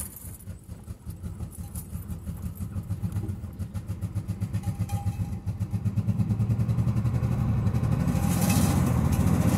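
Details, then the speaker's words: Nissan Z31, first start after cleaning and reassembling the fuel pump assembly with a new sock. Engine catches with a choppy, uneven chuff that steadies slightly: rough running, some cylinders not firing. Oil pressure is present; owner suspects plugs or injectors. "well it's doing something i might have to pull all the plugs out clean them up but we're getting somewhere"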